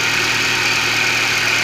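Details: GM Celta/Classic at idle after replacing the accessory belt pulley bearing that caused a strange noise; steady, even idle with a smooth constant whir and no rumble or grinding from the belt pulleys.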